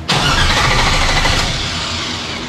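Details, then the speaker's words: 1957 Chevy Bel Air with an LS-swapped 5.3 and 4L60: fires with a strong burst, then sags and dies within two seconds from fuel starvation; the tank was out of gas, and it runs once gas is added. "or is it just out of gas because we have no idea how much gas is in it that could be it sometimes it's the simple things"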